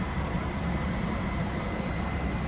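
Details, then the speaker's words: Combined, custom-wired VRF outdoor unit brought back to life after dying: even low hum, steady whirring fan and faint high whine as it starts speeding up, no knocks or rattles; normal running. "see that fan would not be going on right now if you didn't see that the motor was running inside and it is pressure to get away start speeding up"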